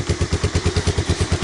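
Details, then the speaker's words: Honda Big Red ATC250ES single-cylinder ATV after no-start repair (sticky carb and intake manifold cleaned, fresh stabilized gas with Sea Foam), choke on, idle set a little low: steady, even thumping about nine beats a second, soft low rumble, no misses; normal idle. "but that's really what you want out of Big Red, is to just idle along like that."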